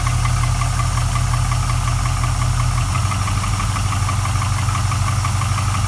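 Rebuilt V8 idling with a dull, uneven knock just under two a second over a low rumble; slap or bottom-end knock, unclear which.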